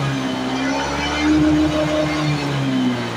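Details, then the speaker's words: Honda Beat FI scooter, two years old, that suddenly wouldn't crank, after fixing a loose battery connection: starts immediately, smooth even hum with steady pitch, no knocks; charging normal at 13–14 V, healthy idle. "ini tegangan sudah normal teman-teman ya di starter langsung hidup dan pengisian normal ya sangat bagus"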